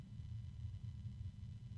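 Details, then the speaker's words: Barrow RGB Full Color BF4 PR 120 mm 6-pin Dupont PWM fan sped up from its lowest speed: steady low hum with soft rumble and wind noise, the hum persisting and rising in pitch as speed increases; possibly a cheap bearing, unconfirmed. "and then there's the medium noise of the wind and that low hum is persisting as is the wind of course that low hum is getting higher and it's weird"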